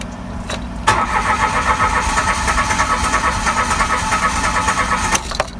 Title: HARD STARTING. AYAW MAG START ANG OTO? BRAND NEW CAR PERO HARD STARTING?